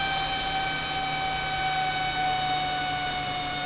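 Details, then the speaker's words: CNC machine cooling fan under an autonomous temperature-based fan controller, thermocouple placed in front of the fan; the temperature threshold is crossed and the fan runs at high RPM, giving an even, steady whir with a constant hum and no wobble or rattle, running normally. "there goes we broke the threshold now you hear the fan as she continues to crew"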